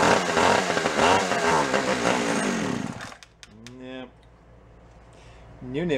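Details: Free Echo CS 400 chainsaw, started on choke after fuel system work: two-stroke buzz rises and falls with the throttle for a few seconds, then drops away; runs and revs cleanly.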